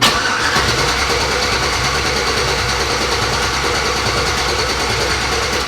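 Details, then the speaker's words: 1987 Chevy S10 with LS V8 swap, no MAF, VATS reportedly disabled: starter spins the engine evenly for six seconds without catching, raw gasoline smelled; crank no start, no fuel getting through. "you can tell it's not i'm not getting gas there's gasoline you can smell it"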